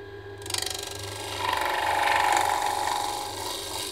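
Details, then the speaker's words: Woodturning a wet pecan bowl: a rapid rattling scrape from the gouge near the rim, fluttering in time with the spin. This is chatter because the bowl has already gone out of round. "You hear it chattering? That's because it's out around already."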